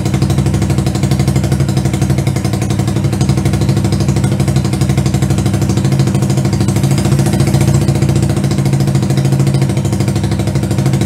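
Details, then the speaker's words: Single-cylinder 125cc CCW Sinnis Heist hardtail chopper rescue, carburetted, runs but won't hold idle: rapid uneven low-rev thumping that wavers and never settles; float height about to be adjusted. Rough idle. "it's not quite idling but it's for running let's see if we can get it idling by itself"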